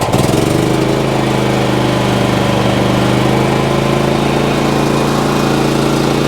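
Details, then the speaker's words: Predator 8750 inverter generator, gasoline, electric start after full choke then choke pushed in, running with no load: steady, even hum, constant pitch, no knocks or surging; output good, very smooth. "Output is good. Very, very smooth."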